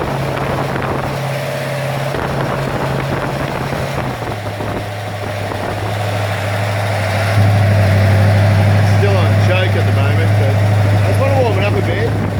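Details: Ford XC Fairmont 351 V8 on a run stand: even deep idle stepping up to a higher steady fast idle, running smoothly on choke while warming up; normal cold idle.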